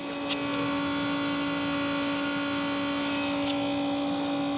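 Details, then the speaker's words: BMW that stalled about 5 meters into a test drive and won't restart: constant high electric whine of the fuel pump with engine off, steady pitch; fault code points to rail pressure monitoring; cause suspected, not confirmed. "And now it doesn't want to restart, but what I can hear is the fuel pump going crazy."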